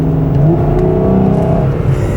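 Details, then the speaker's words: 2009 Ford Flex, cold engine just warming up, a little over 70,000 miles, revved right after a K&N cold air intake install: a strong rising rev with a deep, throaty intake note and no knocks or rattles; the engine pulls cleanly. "it sounds cool yeah that sounds pretty good he's downs throaty"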